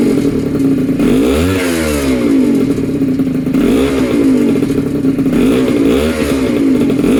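Small two-stroke buzzes and revs up and down in repeated blips, picking up cleanly each time with no knocking or misfire.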